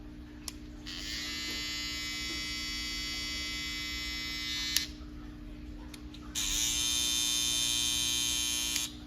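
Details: Brand-new Babyliss FX trimmer used only once, run for comparison against a loud, non-cutting unit: two runs of a high, steady electric buzz with even, unwavering pitch; a healthy trimmer.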